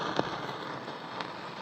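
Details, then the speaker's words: 1950s Sparton AM/FM eight-tube radio (type 8M10 chassis), warmed up on AM: random crackles and pops over a steady hiss with no station coming through, though it picked up a station earlier. Intermittent crackling fault, cause unconfirmed. "earlier I had a bird it was actually picking up a station I was gonna do it for us now if you hear about all that random noise"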